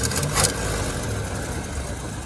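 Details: Car idling smoothly and evenly after the plug wires were moved one position ahead of the diagram order, which corrected the ignition timing; exhaust leaks remain; hot day near 90°F; normal idle.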